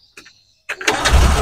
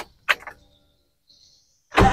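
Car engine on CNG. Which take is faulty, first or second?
second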